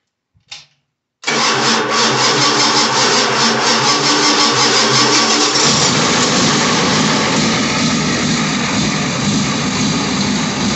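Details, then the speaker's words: International 6.9L IDI diesel on an engine run stand, started after glow plugs cycle, on a weak battery with fresh fuel feed but old filter fuel: fires after a short crank, then loud clattery, slightly uneven idle; rough running, may just be a fuel issue. "so this engine doesn't run perfectly it may just be a fuel issue"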